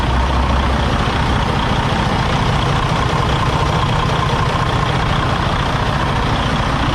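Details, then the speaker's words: 2017 Freightliner Cascadia DD15 diesel, about 800–900k miles, coolant nearly empty, struggles to start then lumpy uneven idle with irregular low thump under steady clatter; cylinder 3 liner failed from over-fueling injector, letting coolant in. "Yeah, your engine should not struggle at all to start up that way."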